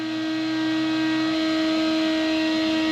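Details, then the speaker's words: CNC router cutting FR4 fibreboard on the second pass at lowered spindle RPM, feed rate then raised 10%: steady high spindle tone with a smooth, even cutting hiss and no chatter, cutting cleanly and normally. "So we're on the second pass now, and I've lowered the RPM. You may just be able to hear the tone of that, and still cutting, still looking pretty good."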